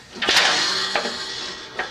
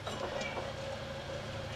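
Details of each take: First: Hustler 54-inch ZTR mower deck, 350 hours, belt removed, spindle spun by hand: few handling clunks then rough, gritty, really noisy whirr; spindle bearings worn out, customer complained of grinding; bearings to be replaced. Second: Hustler 54-inch ZTR mower with 350 hours, deck spindle after new bearings, spun on the workbench: quiet, even spin with a faint steady hum and no grinding; healthy spindle bearings.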